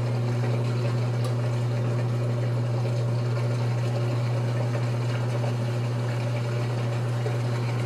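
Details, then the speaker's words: GE Infusor GTWN5050M0WS H.E. washer running an empty cycle: drain pump gives steady low hum with water swishing, no rattles or grinding; pump runs fine. "drink pipe sounds okay"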